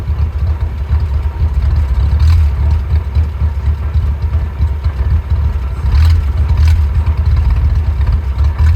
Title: Willys rough idle